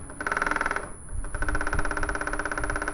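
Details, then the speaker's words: Industrial sewing machine running with stitch length set to 5 (longest): rapid harsh metallic clacking each stitch cycle as the feed dog travels back and strikes the needle plate. "ดังประมาณนี้นะครับผมวิธีแก้นะครับก็ดูที่ตัวชุดตินผีนะครับถอดตีนผีออกก่อนก็ได้นะครับจะได้เห็นชัดแล้วก็เราจะเห็นชุดฟันนะครับนี่นะครับฟันตนี้นะครับดูจังหวะวิ่งนะครับนี่นะครับจังหวะฟันนะครับวิ่งไปนะครับจะไปชนเหล็กด้านหลังเห็นมั้ยครับพอไปชนเหล็กด้านหลังมันก็จะทำให้เกิดอาการเสียงดังนะครับ"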